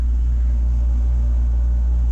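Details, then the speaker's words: Takagi T-H3-DV-N tankless water heater, first startup, burner firing with circulation pump running, water near 135–140°F: deep steady low hum growing louder; source of the vibration not pinned down; low vibration hum. "only thing that concerns me a little bit is how loud this is getting she's got a low hum"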